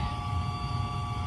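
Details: Septic tank aerator air pump, noisy motor replaced, running: steady even hum with low rumble and a couple of constant tones, no rattle or grinding; it pumps air into the tanks and cycles on and off; normal running.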